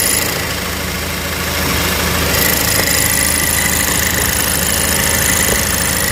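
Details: Cadillac ATS at idle in drive, mainly after a long drive, going away with a little gas: loose irregular metallic rattle over a steady idle; broken exhaust bracket by the oil filter, repaired by welding.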